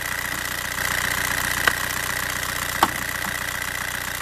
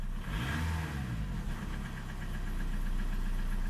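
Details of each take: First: Old TDI 90/110 hp rotary injection pump diesel: idle at about three pulses a second under a steady whistle, running lean after the quantity adjuster was tightened; pump body scored and O-ring leaking, pump to be stripped again. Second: Old TDI 90/110 hp with rotary injection pump, cold engine in rain, after tapping the quantity adjuster: steady even diesel idle at about 2 mg injection quantity, running nicely; owner suspects a cracked pump seal ring.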